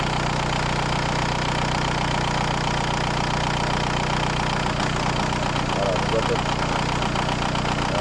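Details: VW New Beetle TDI 90 ALH diesel with EGR delete and NRJ Car add-on tuning box being adjusted: steady diesel clatter at an even idle, no hunting or surging; idle settled and stable.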